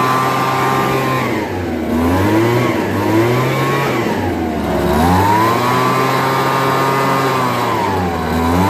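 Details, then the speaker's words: Homelite BP250 backpack leaf blower two-stroke after draining old gas, fresh 2-cycle mix and fuel mixture screw adjustment, idling well: crisp buzz rising and dropping cleanly with throttle blips, no sputter or bog; normal running and revving. "so it's a home light BP 250 starts right up you know and all it needed was new gas that's all it needed and a fuel mixture adjustment on the screws"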